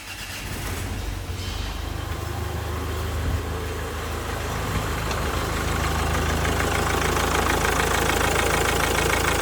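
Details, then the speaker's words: 2004 Mazda 6 with 2.0 MZR-CD diesel, first start after replacing the knocked engine: catches and settles into an even, quiet idle with steady rhythm, no knocks or misses. "прекрасно працює. Прекрасно, тихенько, чтко, влучим."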